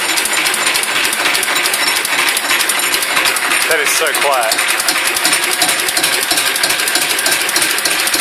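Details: Listeroid 6/1 single-cylinder diesel after fixing a 0.5 mm key-to-flywheel-hub gap by welding and filing the key, which had caused a loud anvil-like knock: now runs with an even steady clatter; normal running.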